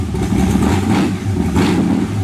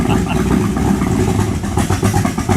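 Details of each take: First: 1923 T-Bucket kit car hot rod, warmed up after needing choke: deep V8 burble with crisp throttle blips rising and falling cleanly, no misses or clatter; sounds like a race car, healthy engine. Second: 1923 T-Bucket kit car V8 on a cold start: rough, uneven idle that stumbles, sags and fades out; cold engine stalling, needs choke.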